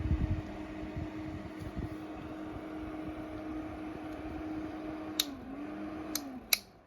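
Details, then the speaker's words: Intervent NVF100P 4" axial extractor fan (220–240 V AC), pullcord switch not clicked twice so it doesn't latch: steady hum drops away, briefly spins back up, then winds down between cord pulls. The fan cuts out when the switch isn't latched. "Yeah, good example there of what happens if you don't. Good example there of what happens if it doesn't click twice. So it went power back up again."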